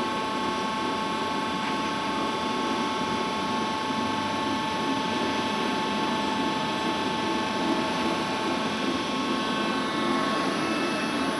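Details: Worm screen centrifuge test run after repair of bad vibration: the worn main drive bearing diameter was machined and sleeved and the main drive and gearbox bearings were replaced. It gives a smooth, even hum with steady whine and no grinding or rumble; drive and bearings healthy.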